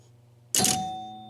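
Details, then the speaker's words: Gottlieb 1974 Big Shot pinball machine chime unit after adding rubber pads on the bottom: single clean bell strike with long pure decay, no metallic clack; fixed. "No clack. Nothing but chimes ringing."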